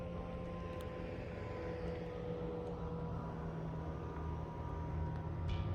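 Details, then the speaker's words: Ford Mustang Mach-E pedestrian alert, active once shifted from P into D, pitch changing with driving speed; soft steady layered electronic "spaceship" hum over light road rumble; working normally. "So this is how the pedestrian sound sounds like. I call it the spaceship sound."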